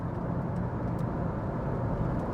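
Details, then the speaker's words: VW 1.9 TDI diesel at 199,000 miles driving on the road under load; even, smooth drone with no knocks, taps or bangs over tyre rumble; no smoke, tracks straight, pulls okay, engine sounds healthy. "No black smoke. No smoke at all out the exhaust. It is going in a straight line. It's not pulling. I can't hear any knocks and bangs. It sounds good."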